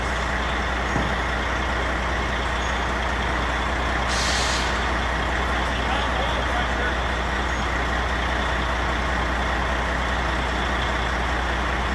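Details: Non-running Peterbilt 379 project truck diesel, first start: steady idle drone with faint whine, beat slightly uneven and choppy; owner suspects a little air in the system, unconfirmed.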